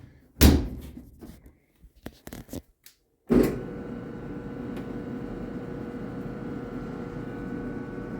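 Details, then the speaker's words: Dryer that died mid-cycle with a loud bang: door shuts, then only steady motor hum with no tumbling or zipper clang; motor spins but drum doesn't turn, drive belt broken. "yeah there's nothing moving in there that's not moving at all okay so uh the motor is spinning but um the drum is not turning which makes me think that the belt came loose"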